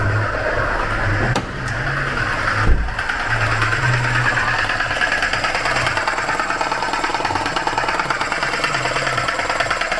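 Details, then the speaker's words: 2018 Vauxhall Crossland X, 33,000 miles, engine idling: uneven rattling chatter over idle from front accessories; suspected failed bearings in AC compressor or its clutch. "I think the barings and that air conditioning pump or the clutch itself has failed"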